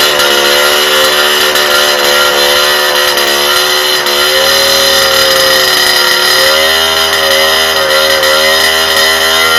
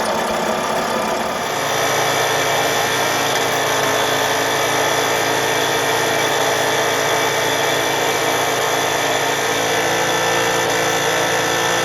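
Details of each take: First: Rebuilt two-stroke cyclo (moped) engine after replacing the likely clogged original exhaust: sharp buzz climbs cleanly to high revs and holds, pitch dipping and rising again; pulls freely, the exhaust being the only change. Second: Cyclo (moped) with rebuilt engine on the test bench during break-in: flat, unchanging buzz held ten seconds with no climb in pitch; exhaust blocked, engine cannot rev.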